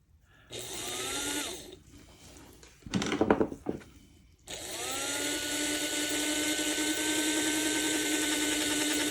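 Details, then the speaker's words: After-repair test of a Varney 2-8-0 Canadian Pacific Consolidation model locomotive that had hummed but wouldn't move. A wheel had rotated too far and misaligned the side rod, now corrected. Small motor spins to a steady high whine with even gear hum, no grinding. Runs smoothly. "should also run a bit better now that I've uh corrected that so let's see what happens now when I hook up the power and everything's"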